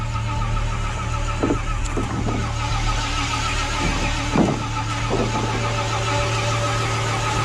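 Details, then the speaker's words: Square-body Suburban V8, overhauled about five years ago, eBay Edelbrock 1405 carb just fitted: engine runs with a constant whirring grind on top after firing; starter stuck engaged again, a repeat fault. "Starter stuck again. I did that before. I did that once before. Freaking starter gets stuck on."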